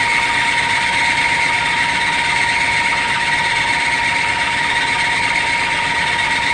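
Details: Belt-driven drill spindle in a very cold shop, drilling 30x30 mm aluminum extrusion: a steady high-pitched squeal holds over the motor noise as the cold belt slips on its pulley while the spindle warms up.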